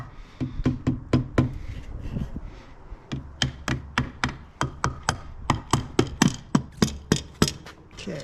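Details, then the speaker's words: 2006 Honda CBR600RR engine run before teardown: heavy, loud uneven metallic knocking about four per second; lost a connecting rod on cylinder number 2, yet the engine still started and ran. "That doesn't sound good. Oh, we lost a fucking rod. Oh! Dude, this thing started and ran after the fact."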